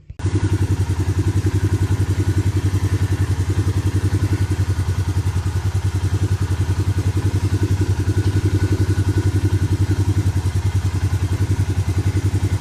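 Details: Suzuki Vinson 500 quad, startup after the head and cylinder were machined and a new gasket and new oil fitted: an even, steady single-cylinder thump with no misses, knocks or hiss. Nothing is leaking and it is not smoking, a clean healthy idle.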